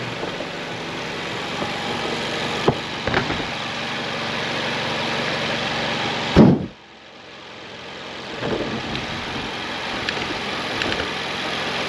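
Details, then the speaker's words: 2016 Mazda CX-5 Skyactiv rebuilt from two blown engines (Mazda 6 bottom end ~120k, CX-5 top end ~170k), running after the exhaust cam sensor fault was fixed: steady, even idle, smooth revs, no knocks or ticks; normal running. "Um, so we fixed that problem. It runs. It runs amazingly."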